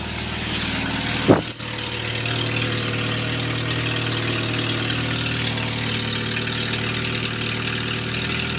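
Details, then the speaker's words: 1979 Volkswagen Rabbit engine starting and idling with a loud, raspy puffing pulsing with each firing, from exhaust leaks at the manifold-to-downpipe and downpipe gaskets, later fixed by replacing them. "you guys can really hear how bad this exhaust leak is it's unusual so it's definitely a pretty prominent noise"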